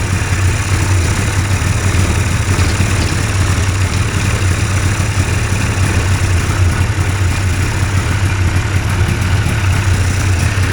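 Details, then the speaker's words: Two-stroke hovercraft engine, newly fitted coil, carbs sorted after trial and error, idles steadily and evenly with a smooth low drone, no misses or knocks, while warming up; sounds good, normal idle. "Well, there. Yay. It runs. And it sounds good."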